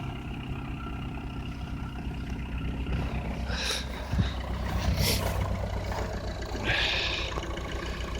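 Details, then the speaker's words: Citroën C5 diesel, cold winter start after a jump start from a dead battery, on summer fuel: low, even clatter at a steady idle with no stumbles or smoke, plus some outside hiss. Normal idle. "Oh yeah, we have a liftoff. Houston, no problems. So yeah, summer fuel works at winter."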